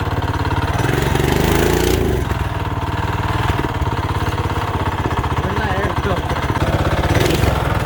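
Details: Mini bike single-cylinder engine with new carb, high-compression head, thin head gasket, coil, plug wire, regulator: ragged, stumbling chugging that never settles; runs poorly, owners suspect very low compression or a mistimed aftermarket cam.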